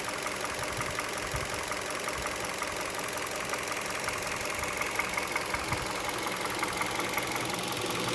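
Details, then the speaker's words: Hot idle of a 2011 Hyundai Solaris G4FC engine, 166k km, at 92 °C coolant after warm-up on a 15 °C morning, heard under the hood: a faint, uneven tapping under the idle hum that fades when revs rise; engine knock when hot. "стоит на холостых чуть-чуть начинает проявляться Ну вот проявляется сейчас под капотом послушаем"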